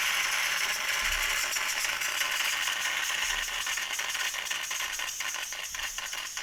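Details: Bialetti Brikka moka pot during a vinegar and hot-water deep clean for blockage and sputtering, hard water area: loud steady steam hiss with quick sputtering gurgles about four a second, coffee now flowing freely; normal brewing.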